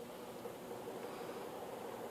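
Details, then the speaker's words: Honeywell tower fan (given away as not working properly) running on fast/high setting, its default, before being opened up, cleaned and lubricated: soft steady airy hush with faint constant hum, no ticking or wobble; works fine. "So that's fast, or 3, 2, 1, off. Works just fine."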